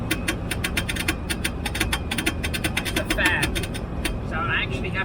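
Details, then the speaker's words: 45-year-old Range Rover Classic driving across Australia. Fast, uneven ticking and fluttering over road rumble, made by the switched-off heater blower fan being spun by incoming ram air. The noise stops only when ram air is fully shut off. "actually have to turn off ram air completely. Get no ram air at all, otherwise it makes that noise."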